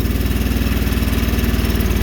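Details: Sears Suburban with a 20HP Briggs V-twin, cold in snow, running on choke with fuel in the crankcase: low, lumpy, loping thump as it fires on only one cylinder.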